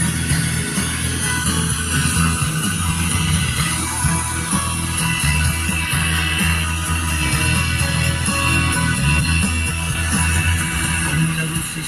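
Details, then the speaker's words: Old Philips mini stereo that powered on with no sound, repaired, tuned to radio: music plays steadily through speaker with light hiss from weak reception (no antenna); audio output working normally again. "Entonces la voy a encender, lo ponen en emisora. Ahí salió, miren. Ahí está sonando."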